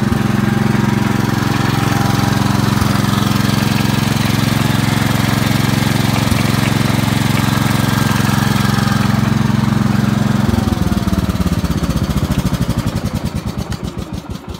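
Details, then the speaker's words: Gravely 432 with rebuilt Kohler K321 single: steady fast idle with a developing knock in the beat after only about two minutes and 200 feet of driving, then shuts down; engine previously seizing up, cause unconfirmed. "just here it's starting to knock and what I ran it for just two or three minutes that's it if even two minutes I drove it 200 feet probably and I could already hear it starting to knock"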